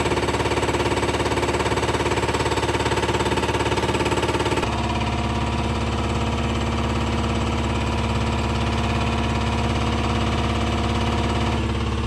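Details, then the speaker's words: Spare diesel injector on a test stand after warm-up fuel flush: hard, even pulsing about two and a half per second with tone shifting partway, sounding different from the Detroit injector; stand shows fail, bad injector. "That's going to be a bad injector, yeah. It's crazy."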